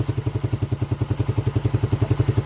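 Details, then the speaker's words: TMX 155 single-cylinder engine after overhaul for a noisy engine, oil leak and slipping clutch, started on the bench: steady, even low-thump idle with no knocking or grinding. "Ayan na siya mga idol pitin mo nga. Goods na mga idol. Okay na ulit."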